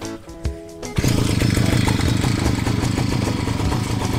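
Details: Tanika backpack grass cutter just reassembled: quiet handling, then the small two-stroke fires and settles into a steady, even smooth buzz with no misfires or rattles; running fine.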